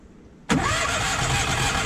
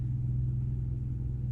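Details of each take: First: Onan 5500 generator: starter cranks steadily at about three or four turns a second but the engine never catches. It had been running intermittently and dying, and no fuel pump sound is heard when priming. Failed fuel pump suspected, before replacement. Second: Onan 5500 RV generator after replacing the fuel pump (Cummins A047N929) and fuel filter. It had been dying after about 30 minutes, then after 5. Now a steady drone after 40 minutes of running with no sputter or hiccup.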